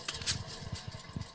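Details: 2010 Toyota Prius Gen III at 80,000 miles, jacked up and wheel spun by hand: low rumbling throb pulsing with each turn under a faint hiss, no wheel play; worn wheel bearing.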